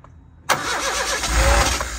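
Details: Turbo car with faulty anti-theft wiring removed and fuel pump wired directly to positive after inertia switch checked; short crank then ragged sputtering catch with uneven firing, barely lighting off and stumbling on first start.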